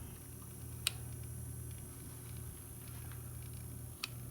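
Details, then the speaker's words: c.1915 GE Star oscillating fan motor on bench after repair, switched from high down through all three speeds. Quiet steady low hum with occasional light tick; runs smoothly and evenly. "all right running on all three speeds right there and we'll shut it off"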